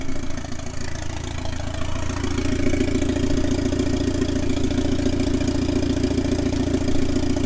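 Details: 1997 Mitsubishi Eclipse GSX 6-bolt swap, running on an open downpipe with the oil pressure sensor removed; loud raspy exhaust stays steady and even as revs creep up, engine running clean. Normal running.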